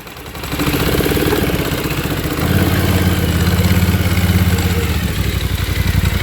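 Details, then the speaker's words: 2024 Polaris Sportsman 1000 High Lifter twin, plug above water during submersion test of water-induced misfire at spark plug: both cylinders firing evenly, steady idle 1250–1300 rpm, clean regular thump — normal idle. "it's fine. So we're idling at 1300, between 1250 and 1300."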